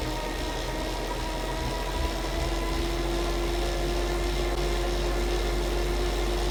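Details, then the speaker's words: Elite Drivo II smart bike trainer noise test at 20 mph, typical erg/sim mode speed: smooth even hum with faint steady tone, nothing rubbing or ticking; normal running noise. "I'm gonna put it at 20 miles per hour. That is the speed that you're probably gonna be at most of the time when you're in erg mode or in sim mode."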